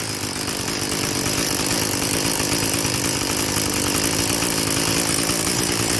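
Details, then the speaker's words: Craftsman Incredi-Pull 316.791810 two-stroke trimmer after carburetor rebuild and adjustment, at idle with no throttle: a steady, buzzy, even note with no hunting or stalling; it runs properly. "So it took a little while, but I finally got it to go."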